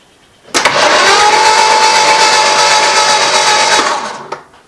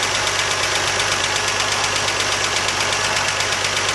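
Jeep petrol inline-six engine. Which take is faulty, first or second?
second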